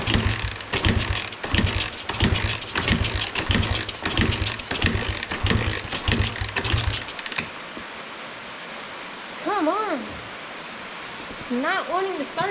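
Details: Free 1986 Honda XR80R dirt bike with low compression, on starting spray after cleaning: repeated uneven turnover bursts for about seven seconds with no catch, then quiet; won't start.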